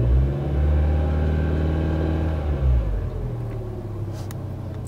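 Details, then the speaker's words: Crashed Corsa being rebuilt, first start after fitting the front end: engine catches and settles into a steady low hum, revs rise and fall smoothly with no knocks or misses; runs healthy. "See there, it's all running fine as it should do. I'm just gonna bleed the coolant basically, not a big job, just keeps watching it until the fan comes on. As you can probably hear, the engine's running quite sweetly and nicely."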